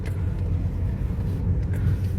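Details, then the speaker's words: Renault Sandero driving in third gear with owner reporting noise after a minute of driving, gearbox boot already replaced without fixing it: low steady growl under road noise; gearbox growling, gearbox to be removed and dismantled. "Aí, ó, o barulho. Olha o barulho do câmbio roncando."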